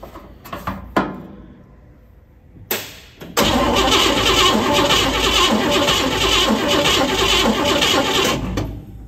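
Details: 1957 Pontiac Star Chief, sitting at least 10 years: starter spins the engine steadily at three or four turns a second for several seconds but it never fires; spark confirmed good, engine starved of fuel.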